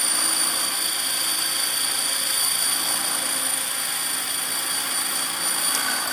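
A harsh buzzing rotor drone pulses about four times a second at hover, which points to an unexplained vibration in the rotor head or drive.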